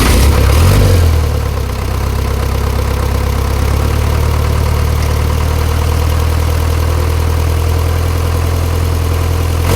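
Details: Isuzu ELF manual diesel truck that had been misfiring and bucking in 3rd/4th, after a fuel filter replacement and blowing out the fuel hose: cranks and catches within a second, then idles steadily and evenly with no misfire.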